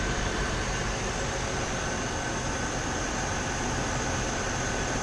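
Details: Chevrolet TrailBlazer 4.2L inline-six at idle after alternator replacement (old alternator bearing failed, causing grinding noise and hard vibration at traffic light); steady even hum with faint whine, no grinding or knocking.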